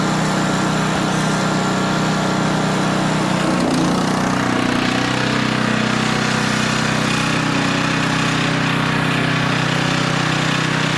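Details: Older Tecumseh 10 hp engine on a 4,000 W generator with adjustable carburetor jet, carrying a 1500 W load at about 62.4 Hz; steady, even drone holding speed without dipping. Normal governed run under load.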